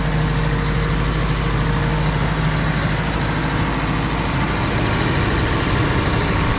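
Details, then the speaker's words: Nissan 240SX S13 SR20DET, first start after months parked, following turbo upgrade to Garrett T28 with Tomei manifold and a replaced fuel line; coolant still low: steady, even idle with low rumble, no knocks, ticks or misses; sounds healthy. "ça a l'air plutôt sain en fait, ça a commencé tout de suite, c'est fou"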